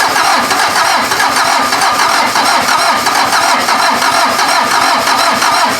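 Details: VW diesel (Mazda offroad build) cranked from a battery charger setup: steady rapid chug about three beats a second, no clean firing; it nearly catches with thick exhaust smoke; owner thinks more cranking rpm and a battery are needed.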